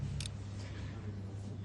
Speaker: Normal açık olan kontaklar kapanıyor. Kapalı olanlar açılıyor.